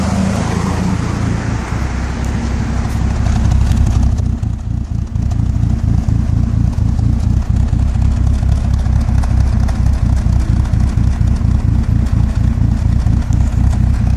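Deep, loud idle that pulses unevenly about twice a second instead of running smooth; the engine is idling rough, cause not clear.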